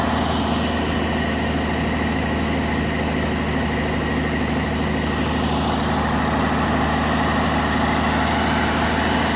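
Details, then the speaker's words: International Farmall 706 diesel tractor after its Bosch EP/VA6 injection pump was reassembled and reinstalled: holds one low idle with a loose uneven chug, still smoking slightly, and does not respond to the throttle. "not responding to throttle though for some reason still smoking a little bit but not"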